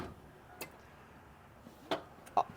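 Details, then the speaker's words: Fox-body Ford Mustang that won't start despite 30–35 psi fuel pressure, spark, new fuel and filter, injectors suspected not pulsing: after cranking stops, a few sharp irregular clicks over quiet background; clicking after cranking, source unknown. "do hear a clicking sound, but I don't know if it's, I definitely hear a clicking."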